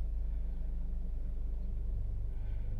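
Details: 2005 Toyota Matrix/Pontiac Vibe after fixing a P0171 lean code and vacuum leak, idle relearned after about an hour of driving: low, even engine rumble with no hiss, stumble or hunting; check engine light gone, normal idle.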